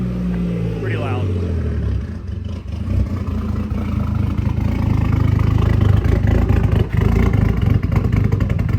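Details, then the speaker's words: Toyota Mark II JZX100 on first start after fitting a Tomei Ti exhaust: deep, loud note with idle surging and stumbling unevenly before settling; rough idle, owner suspects the intercooler work. "it's running rough because of the iac i mean because of the intercooler stuff"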